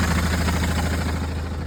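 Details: Fiat Ducato 3.0 diesel, 6-speed, idling; light fast metallic rattle over the engine beat from the gearbox side; owner suspects the gearbox or perhaps the clutch, cause unclear.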